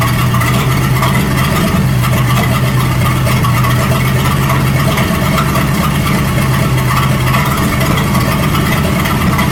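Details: 1937 Buick Roadmaster with an apparently rebuilt Stromberg carburetor, after the idle screw and idle mixture screw were set: a loud, steady, even low idle drone with no surging, misses or knocks. It sounds much better but still needs fine tuning. Normal idle.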